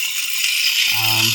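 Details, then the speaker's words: Taigen RC tank brushed motor and gearbox on a bench supply: a hiss, then a steady low gear whir with a mild rattle, with no slipping or binding. The motor stays cool; the gears are a little loud and grease would help. "it seems pretty good motors staying nice and cool the gears are a little loud but that's not something or that's something that a little bit of grease will help with"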